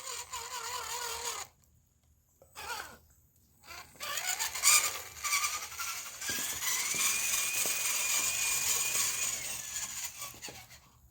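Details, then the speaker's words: Rebuilt used 1/10 scale RC crawler, SCX10 knockoff: small electric drivetrain whines high and smooth, dropping out between short runs and rising in pitch with speed; low-geared transmission sounds healthy. "but she just sounds sounds good actually for such a little low transmission and"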